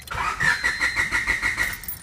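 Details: 1996 Honda Civic: the starter whirs with fast even chuffs, about six per second, but never fires. Crank, no start; fuel and ignition systems are to be checked, cause not confirmed.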